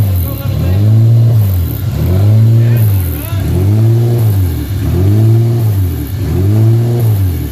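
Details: Honda 3.5 VTEC engine first fire-up: revs swing up and down about every second in a steady hunting idle, caused by a vacuum leak that was later corrected.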